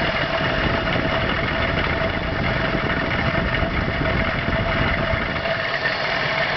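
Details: Steady idle with a rough low rumble and a thin constant hum on top; abnormal engine noise at idle, cause unclear.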